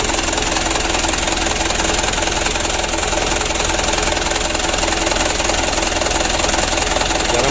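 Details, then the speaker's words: Mitsubishi Canter 136 PS HDL diesel during injection pump plunger adjustment: idle clatter with a slightly uneven, shaking beat. The pump setting is still not right. "di sini kita melihat rekaman itu ada goyangan mesin ya 6 tidak terlalu jamin Saya masih kurang pas bikin lagi"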